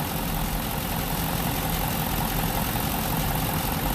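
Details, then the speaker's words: 2006 Buick with 4.6 Northstar, P0300 and rough idle; uneven lumpy idle with irregular low thuds, single-cylinder misfire traced by current ramp to a shorted primary on one ignition coil, fixed by replacing that coil. "easy misfire right there one coil eight quads we're good to go"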